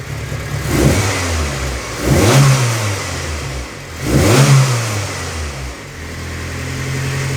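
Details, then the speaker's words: Turbo Honda Civic with a locked-VTEC SOHC D16Z6, after valve clearances were adjusted, warming up on a cold day: three clean throttle blips rise and fall smoothly with no top-end ticking. Normal revving. "yeah for no blood no valve noise that sounds really good"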